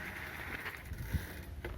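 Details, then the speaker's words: Bicycle MTB disc brake that previously made a loud lorry-like noise when braking, after the brake pads were rubbed down: soft clicks and low rumble as the wheel turns, brake applies with no squeal. "കണ്ടോ ഇപ്പോ പണ്ടത്തെ വല്ല ശബ്ദമൊന്നുമില്ല ഭയങ്കര smooth ആണ്ട്ടോ ബ്രേക്കിന് sound ഒന്നുമില്ല"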